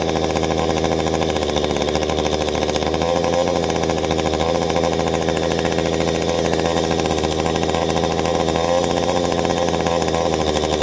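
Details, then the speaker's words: 2-cycle engine, high-side carburetor adjustment by ear with the trigger held fully down. Steady screaming high-rev buzz held at wide-open throttle, no bogging or surging, mixture set at the sweet spot. Carburetor correctly tuned. "okay now once you make your adjustment you hear that sweet spot i revved up we kept her up there"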